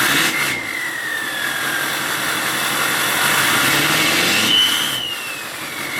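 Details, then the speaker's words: LLY Duramax diesel truck idling after head gasket job and belt replacement: soft, even idle with no ticking or knocking, mostly light hiss with a faint passing whistle; earlier chirping traced to the belt. "Ever since doing the head gaskets, like, listen, this is probably the most quiet or quietest LLY Duramax ever."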